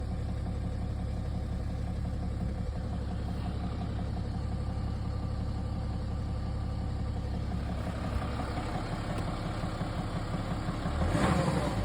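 Diesel engine idling with a steady low clatter and a faint, irregular knocking pulse underneath. Cause suspected, not confirmed.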